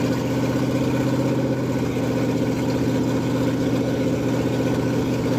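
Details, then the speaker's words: Ford F100 302 V8 with Comp 268H cam at fast break-in idle, open exhaust, about 80-degree day, holding temp: strong even burble, steady pulses, no ticking or knocking; normal, though oil looks slightly milky. "Change it, and hopefully it's good, but it sounds fucking fantastic."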